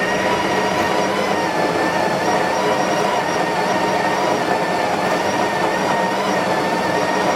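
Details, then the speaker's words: Espresso machine pump making unusual noises while brewing a shot: a constant loud buzzing hum with a steady high whine over it. The pump sounds strained and the cause is unclear. "Also, my espresso machine is like making weird noises. So, if you hear that, I'm so sorry."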